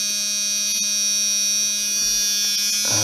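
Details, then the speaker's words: 1997 Dodge Ram 1500 plow truck, parked for years after no-run condition: with pump connector plugged in, controller gives a continuous buzz with shrill whine but the plow pump motor never runs; cause unconfirmed. "Yes, an annoying buzzer. Still nothing though."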